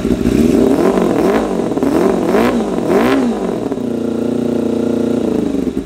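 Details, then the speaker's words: 1988 Kawasaki ZXR250 road bike, first start of rebuild: sharp throttle blips fall back to lumpy uneven idle with ragged chuffing exhaust; running ridiculously rich, shooting flames, idle mixture 3.5 turns out. "It is running ridiculously rich. Like, ridiculously rich. So, we're going to have to address that."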